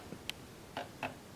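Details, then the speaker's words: Global Jet Club/SM Avanti XXL RC jet, air-powered gear sequencer replacing a unit thought faulty. Three short sharp servo chirps a quarter-second apart; gear servos still twitch slightly, far less than with the previous sequencer: servo jitter, cause not confirmed. "Hear the servos there. Still does a little bit of the twitching like it did, but nowhere near as bad as the other unit."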